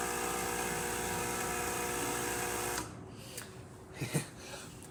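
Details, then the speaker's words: Expobar espresso machine after a completed full service and tune-up, boiler refill after drawing water: steady buzzing pump hum runs evenly for a few seconds, then stops cleanly; normal refill pump operation. "Get some water. We'll listen for the refill. There we go."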